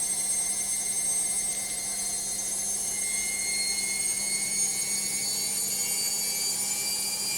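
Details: Logik washing machine on spin: loud, steady high-pitched whirring with a constant tone and no knocking, clearly abnormal; cause not identifiable by ear.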